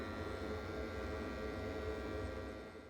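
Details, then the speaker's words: Gas combi boiler, about 12 months old, customer complained it was too noisy; running on full in service mode, in a garage away from the house: steady low hum with faint even buzz, no knocks or rattles; normal running. "so this is the part long for now in service mode [Music] so it's not that loud really and is it a garage that's away from the house"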